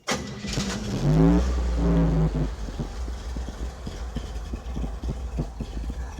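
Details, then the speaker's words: 1971 Chevrolet C10 pickup, rusty, 6-cylinder with 3-speed, new gas tank fitted after fuel contamination: cranks, catches and settles into a low, steady, soft even idle; runs really smooth, normal idle. "It's a 3-speed, and I'll see if I can start it up and let you hear it real quick. Okay, it's really smooth."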